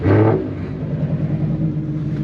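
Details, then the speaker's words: V8 with Flowmaster exhaust, six-speed manual, about 60,000 miles, at auction: deep, even throaty burble with steady rhythm and no knocks or rattles; sounds healthy. "sounds good man she sounds damn good and it's a six-speed manual you know so you can't you can't beat that at all man"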